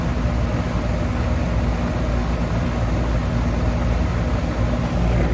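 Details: Goodman AC condenser (old unit) with no cooling call at 8 pm: steady low fan whoosh only, no compressor hum or thump underneath; condenser fan runs but compressor is not starting, gauges to be checked.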